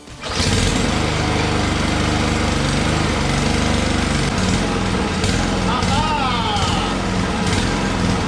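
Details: Single-cylinder lawnmower that would not start; fuel suspected to contain water was drained and replaced with known good gas, plus a shot of starting fluid. It catches and runs steadily with no misses or surging.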